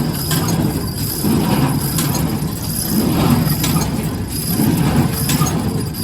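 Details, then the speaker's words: New Holland 311 square baler after replacing feeder tine bearing caps and clamping the wobbling shaft: steady mechanical churn with a slow even beat about every 1.5 seconds, no rubbing or clatter; running smoothly. "Okay, that's a wrap. I think we got it, and it's running pretty smooth."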